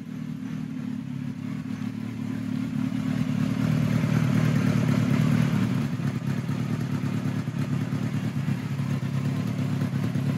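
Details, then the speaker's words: 1976 Kawasaki KZ900-A4 four-cylinder with four-into-four exhaust, after correcting wrong exhaust cam timing and replacing two bad spark plugs: even smooth revving, strong low rumble, no misfires, runs much better. "all right so that runs a hell of a lot better"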